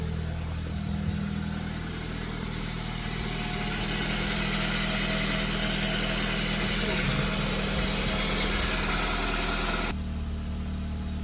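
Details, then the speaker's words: Nissan 100NX after work to cure a misfire: steady, even idle with a smooth low hum and no stumble or miss; misfire fixed. "sweet as a nut that has got no misfire oh my goodness"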